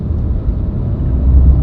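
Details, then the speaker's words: Hyundai Grand i10 NIOS Turbo, 1.0 L turbo petrol (100 PS), driving: steady deep engine drone under load, louder than the naturally aspirated version, continuous from about 2500 rpm but not harsh; normal. "The good thing is that the sound is not bad. It is not harsh. So, it will never bother you."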